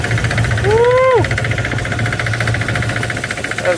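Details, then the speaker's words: Camaro on the road during a long drive: rapid, loud, uneven knock about three to four times a second over the idle, first feared as a rod or clutch; believed traced to the March Performance kit standoff letting the bottom pulley flex under belt tension. "so after some investigation we believe that the standoff for the March performance kit yeah come here and you can see this it's uh what's that bottom bully down there see how it's flexing"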